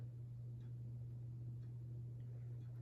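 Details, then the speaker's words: 1988/1989 Halsey ceiling fan running slightly slower than its twin and blowing a breeze, with a steady low electrical hum under faint ticking. The motor is humming and the cause is unclear. "I'm getting a breeze from this thing right now. It's actually humming."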